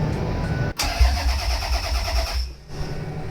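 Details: Toyota MR2 with 3VZ V6 swap, first start attempt: starter cranks briefly, then engine catches and runs smoothly for a couple of seconds; normal start.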